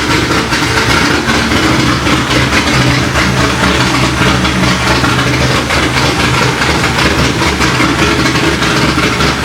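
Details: Corvette C6 Z06 first start after B3 cam and McLeod RXT twin-disc clutch install, with ported heads, FAST 102 intake, 65lb injectors, 1-7/8 headers, straight-pipe axle-back, E85 tune: deep, even V8 burble, no ticking; sounds good, air-fuel close.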